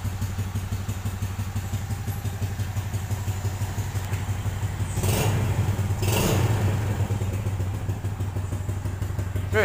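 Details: Yamaha Jupiter Z new, one month after an oversize piston rebuild: steady low putter about three beats a second with no top-end tapping; a healthy small single idling.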